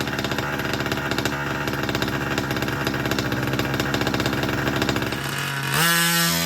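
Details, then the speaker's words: Small two-stroke 36 engine with new piston and ring and new pipe, fitted to a 5T, bedding in new ring, on the ground: fast, even buzzing then picking up revs; healthy fresh rebuild. "So there you have it. She breathes."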